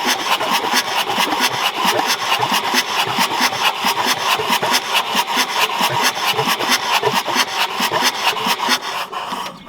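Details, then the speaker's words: Old Ford diesel tractor parked about 10 years, hydrolocked with oil; injectors removed and oil blown out of the cylinders. Fast, even cranking about two turns a second with no catches; the engine now spins freely. "It was cranking pretty good. It's decent."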